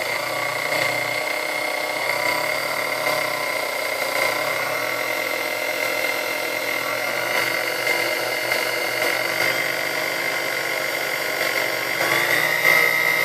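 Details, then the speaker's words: Chrome Sunbeam Mixmaster Model 12 motor after service and maintenance: steady high whine with even hum, no grinding or rattle, runs smoothly; speed range reaches just past 10, needing slight speed adjustment. "Alright, so as you see, we have, you know, we have speed range all the way up to just past 10. So it sounds like it needs a little bit of adjustment here."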